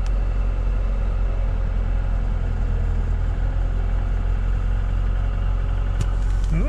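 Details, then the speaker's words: 2021 Lada Niva Travel, 24,900 km, idling after cold start around -23 to -27°C, clutch being released: steady, even low idle with no knocks or ticks; engine runs smoothly and healthy. "вообще отлично слышите мотор работает ни стуков ничего все прекрасно"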